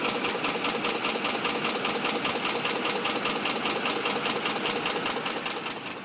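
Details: 2005 Ford F150 5.4L V8, just under 89k miles, regularly serviced with Motorcraft 5W-20 and filters: crisp, even top-end tapping at idle, about 2.5 per second; dealers split, owner suspects cam phaser, cause unconfirmed.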